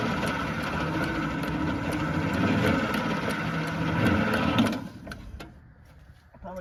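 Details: 1950s Fordson Major diesel tractor, with three of four loosened and some fuel seen coming out: steady cranking at about four compression strokes a second, never catches; cranks but won't start. Owner suspects the fuel setting; cause unconfirmed.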